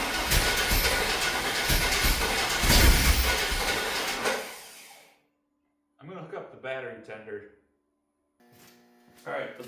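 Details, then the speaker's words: 1995 Chevy 1500 GMT400, long-sitting truck cranked before an ignition tune-up: a steady cranking churn at about three beats a second for four seconds with no catch. Crank, no start. "I think we're really close to getting this thing running, but it just sounds like it's not hitting on all cylinders."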